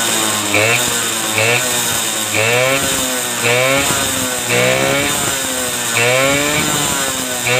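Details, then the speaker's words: Suzuki RC two-stroke with weak spark from an imitation stator, started without the ignition key because the key switch is not yet wired: buzzy rasp revving up and dropping back in repeated blips, firing cleanly; now running normally. "oke Ya teman-teman ini sudah nyala kita tinggal rakit kontaknya ya karena kontak ini belum tersambung"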